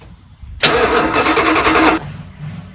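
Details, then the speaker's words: 1983 Dodge Prospector, 360 V8 just swapped in and plumbed, first start attempt: starter turns engine over at steady even rhythm about a second and a half without firing; cranking but not starting because it still needs to draw fuel. "Let's see if it makes some noise. Needs to draw fuel first."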